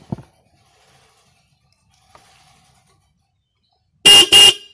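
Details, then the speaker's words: Single-terminal car horn newly installed: two short, very loud blasts with clear steady high tone, no crackle or fading; horn working strong. "Eh jadi Suaranya kayak gini titik-titik suaranya ini klakson kenceng banget ya"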